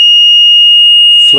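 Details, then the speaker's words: Fluke 17B+ multimeter after a mod that remounted the continuity piezo buzzer to make it louder: steady, loud, high-pitched unbroken beep; the continuity buzzer now works and is clearly audible. "there you go nice loud audible continuity"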